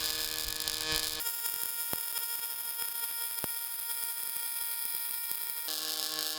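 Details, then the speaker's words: MIG welder on pulsed synergic settings for 3.2mm: steady high frizzing hiss with a fast, even buzz underneath and only occasional crackles; a smooth, normal pulsed MIG arc. "This is Dale, the engineering manager down there, just laying down a pulsed feed on the synergic settings."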